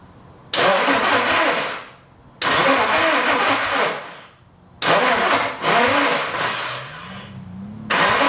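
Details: Nissan 240 with newly installed SR20 swap, first start attempt, fuel pump on manual switch: four cranking attempts of about two seconds each, engine spins but never catches; smoke seen, owner suspects insufficient grounds or swapped fuel lines.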